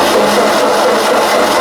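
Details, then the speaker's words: Ford 2N tractor that previously ran well, cranking after a coil spark check: steady starter churning with no firing at all; crank, no start, owner suspects coil and points. "Nothing. Not a nothing. So I think we got some problems."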